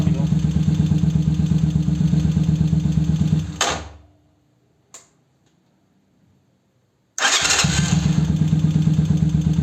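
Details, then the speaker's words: 125Z motorcycle starter after repair with new starter motor brushes (old ones burned) and new O-ring: quick steady cranking, no Bendix-like noise, starts faster; normal starter cranking and start. "Ya no se oye el cuando le daba uno la marcha. Ya no se escucha y aparte pues ya arranca más rápido."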